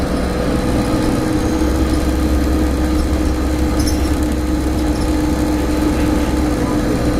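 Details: Inside Stagecoach Cumbria Optare Solo bus 47020 (PO51 WLK) on Service 30 Whitehaven to Workington, May 2015: constant loud mid-low drone over diesel running and road rumble; source not pinned down.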